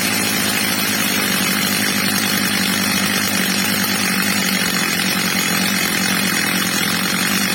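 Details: Old, well-worn Stihl MS230 chainsaw after fitting a new replacement carburettor, during its adjustment: steady, clean high-rev scream with no surging or bogging, normal high-rev running.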